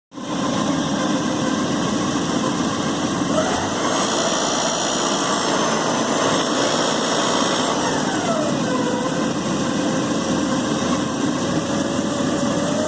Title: 1986 Porsche 944 NA - Rattling Sound in Engine